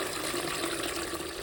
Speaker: Then basically turn that, and then you turn that, and then it'll automatically pump up and down, and you'll hear it whine.